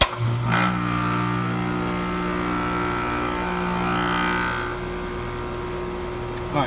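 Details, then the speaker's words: Heat pump switched to heat mode, energizing after a 5-minute time delay with the reversing valve energized, on an 85°F day: kicks on and settles into a steady hum with a short hiss partway through; normal heat mode operation. "so the system is now running in cool man okay our time delay is over now we are running in cool mode all I'm sorry heat mode"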